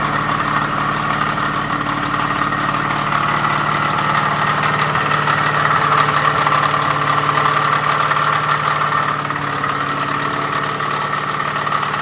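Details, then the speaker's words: Ford small-block hydraulic flat-tappet engine with new rods, timing chain, cam and lifters, during break-in: heavy marble-like knocking at idle; bottom-end rod and main bearings almost disintegrated. "so anyways you can hear how horrible that sounded that motor is trash"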